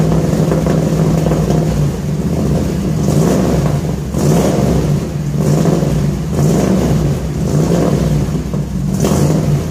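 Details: 1966 Ford F100 shop truck V8 with new headers and newly built exhaust, first start after install: deep steady burble swelling and settling with each throttle blip, even, no leaks or rattles; exhaust sounds good, normal exhaust note.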